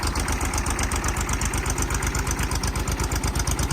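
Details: Kubota B7200 subcompact tractor old diesel, cold start at 15 degrees after an ice storm, glow plugs held a minute, no fuel additive: rapid even clatter over low steady idle, normal cold diesel warm-up.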